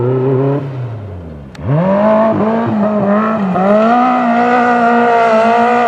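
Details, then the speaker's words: Magnum super buggy race car V8 at the track after hours of carb, float and jet changes on the new carb: revs up and holds but the note keeps dipping and stumbling in short wavers, a persistent bottom-end flutter. "we've been here for several hours now just making numerous carb adjustments and we still just can't get that little flutter out"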